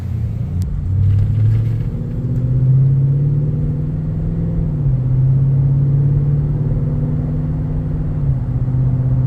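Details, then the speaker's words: Toyota Tundra V8 with aftermarket cat-back exhaust: cut stock muffler, sketchy-welded aftermarket muffler, resonator delete. Deep steady low boom under the engine as revs rise, nonstop annoying in-cab drone; before restoring factory parts. "But my biggest gripe with it is that it drones so bad. When you're driving in it, all you hear is that annoying drone nonstop."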